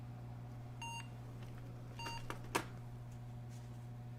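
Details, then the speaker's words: Emerson Elite SX386 computer fitted with 60 ns 30-pin SIMMs in place of the original 100 ns RAM: short beeps over a low hum at power-on, probably with no video; the owner counts three short beeps and reads them as a memory fault, though this is unconfirmed; POST beep code. "all right now that seems like that's three short beeps which i thought was ram one long beep and three short beeps failure above the 64k mark"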